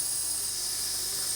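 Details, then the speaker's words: Long-abandoned Stuart D10 (double 10 V) model steam engine turns freely. Constant soft airy hiss with no rhythm or chuffs, whatever the crankshaft position, despite oiling. Air leaks past both sides of the pistons: no seal, no compression. "machine laisse passer de l'air j'en ai d'autres donc déduit que je n'ai pas d'étanchéité niveau pistons"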